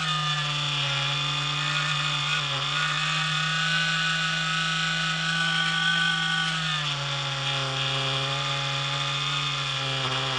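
Loud steady droning buzz with a fixed low tone that sags slightly in pitch midway. The unit is vibrating hard, cause not evident.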